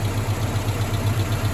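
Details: Mazda B2000 truck idling after a #2 rod knock repair: one standard and one next-size-up bearing shell, Plastigauge-checked within spec. Low, even idle thrum with a smooth regular pulse, no clanging or knock; healthy idle.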